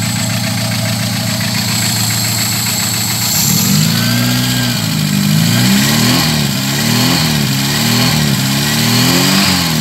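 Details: VW G1 carburetted AP engine, after fixing low fuel pressure: even idle, then several clean rev blips with no stumble; fuel pressure much better than before.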